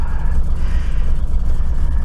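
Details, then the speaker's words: Austin Maxi cold start after sitting 3 months, on E5 petrol; ragged, uneven low thumping with a stumbling beat, running on only a few cylinders before popping and catching; misfire, owner suspects points need cleaning. "she's trying she's trying she's running on a few cylinders"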